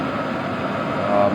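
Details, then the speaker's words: HCalory Toolbox Max diesel heater at fan/heat setting 10 of 10: steady, even fan rush with mid hum, slight exhaust, no ticking or pulsing; normal heater fan noise at maximum. "All you can hear is the fan noise, and that is cranked right up. Hear the exhaust a little bit, but this will be outside of our tent and we won't hear that at all."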